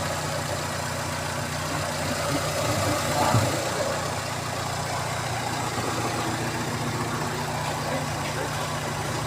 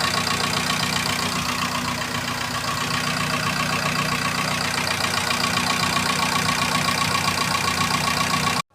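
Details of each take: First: Fiat Doblò 1.8 16v petrol engine, after repair of a top-end noise and oil light, idles steadily with a smooth, even hum and no ticking from the top end. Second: Fiat Doblo 1.8 16v petrol engine at idle: quick light ticking from the top end, about four ticks a second. Hydraulic lifter tick.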